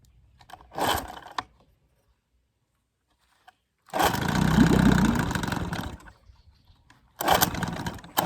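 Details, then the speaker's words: 1966 Evinrude 6 hp Fisherman outboard, scrapyard find formerly seized, pull-starting on choke: short bursts of rough two-stroke running that die between pulls, wanting to fire but not keep going; owner suspects a lean sneeze, unconfirmed. "it does want to fire but it doesn't want to go this little keeps on slopping around on me unfortunately"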